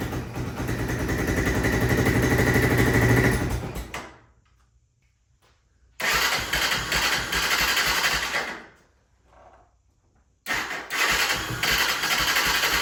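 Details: 1996 Honda FourTrax 300EX ATV with airbox disconnected: the single catches, runs a few seconds, fades, restarts and dies again; won't hold idle, owner suspects the carb and missing airbox back pressure.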